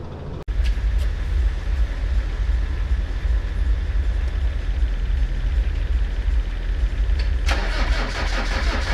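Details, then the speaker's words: Copart salvage Land Rover Discovery diesel on jump leads, stop solenoid held on by hand: short crank catches quickly and settles into a steady, even idle with no knocks or misses. "oh all right just hold that stop solenoid on the fire for us oh right it runs"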